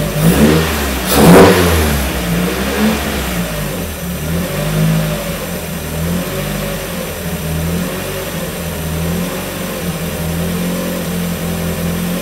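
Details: 1994 Miata NA with 2000 NB engine, first start on Megasquirt and EDIS-4, 4-2-1 header, Yonaka exhaust; idle that wandered rich settles after a blip into a steadier even hum once VE leaned: smooth running engine.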